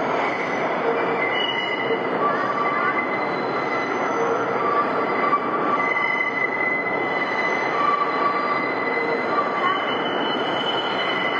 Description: Right before entering this platform, the northbound 5 Trains have to make a sharp right turn so tight that it makes their wheels grind against the rails, making a very loud screeching noise.